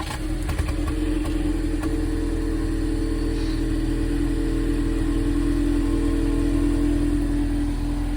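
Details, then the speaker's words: 2019 Ford EcoBoost Mustang, about 51,300 miles, cold start before repair: uneven chugging beat about three times a second with steady mid tone, water from exhaust after a rinse; sporadic cold-start misfire, cause unconfirmed. "The reason water was blowing out the exhaust is because I recently gave it a rinse and cleaned around the pipes, but you probably still heard the chugging at the beginning."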